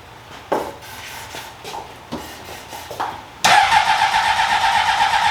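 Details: 2003 Honda CBR600RR, first start in 20 years, running on sprayed starting fluid: a few sharp cranking pops, then it catches and revs with a steady high buzz; no fuel delivery.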